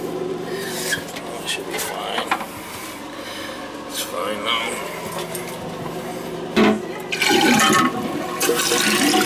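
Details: Old toilet after tightening loose tank bolts with wing nuts: water rushes down hard, then the tank refills with a steady hiss and shuts off cleanly, no constant trickle, water meter not spinning; normal flush and refill.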